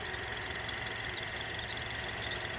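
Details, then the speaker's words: Idling car engine with a high, bird-like chirping squeak over a steady hiss. The accessory belt is dry and squeaks. "okay here a little tripping Birds that's a sign of a a belt okay the belt is dry and that's why it squeaks"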